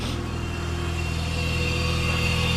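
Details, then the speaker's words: 2004 Mazda RX-8 rotary, sat for years, after fluid flushes, new coils, wires, plugs and starter: cold start fast idle at 1700 rpm, coolant 22 degrees, vacuum -17, throttle 15.69; smooth, even rotary drone with no knocks, misses or hunting; healthy. "RPMs or revs are at 1700 right now because it's cold start coolant 22 degrees vacuum minus 17 throttle 15.69"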